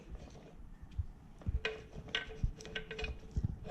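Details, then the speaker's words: 2002 Mini Cooper S R53 stock supercharger, removed and turned by hand at its pulley: irregular gritty clicks, clunks and grinding from the internal gearbox behind the water pump mount; stripped supercharger gearbox gears. "I'm hoping you can hear that grinding noise. So located, this is where your water pump attaches on a stock R53 Mini Cooper. So there's a gearbox inside of here."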